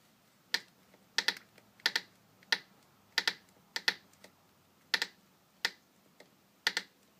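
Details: VW GTI stopped engine rocked by hand at the manifold while being stored for winter: sharp light clicks, often paired, source unknown; owner says it's not the mounts.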